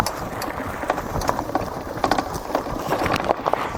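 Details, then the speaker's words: Lankeleisi MG600 Plus fat e-bike with no rear suspension, ridden over a rough track: irregular sharp clacks and rattles with each bump over tyre rumble. The owner can't place the source and wonders if the battery is moving. The front fork clacks less. "Quelques trucs qui claquent un peu quand même. Voilà, donc ça c'est le défaut inhérent quand on n'a pas de suspension arrière."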